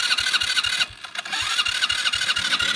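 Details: 2014 Kandi go-kart/buggy with a failed starter, cranked by bridging the starter's positive and negative terminals; it has fuel trouble and an added electronic choke. The starter whirs with even compression pulses about five a second, pauses, then cranks again without catching.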